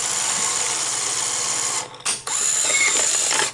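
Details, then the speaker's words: Sony SL-HF900 Betamax VCR (711B chassis) that plays then stops: a steady whirr while a tape loads, then a sharp click at about two seconds as the bottom solenoid engages before play; normal operation. "you heard that click when it clicked like that okay that solenoid down there on the bottom uh comes on and then you can now hit play and then this solenoid will come on after you've hit the play button"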